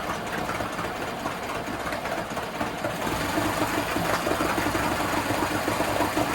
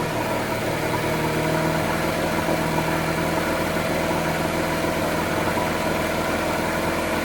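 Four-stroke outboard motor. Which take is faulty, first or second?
first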